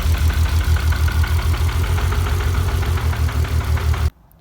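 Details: Car after fuel system work (pressure and pump problems, debris in injectors), idling: lumpy stumbling pulsing beat about three times a second until the engine cuts; one cylinder misfiring from a clogged injector.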